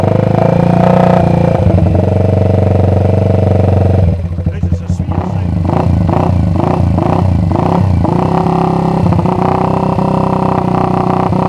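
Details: Fully restored 1979 Honda XR80 four-stroke single, fired up after restoration with new controls and kill switch, fuel in tank unknown; steady even thump at idle, then crisp blips climbing and settling cleanly, deep healthy growl; normal running and revving.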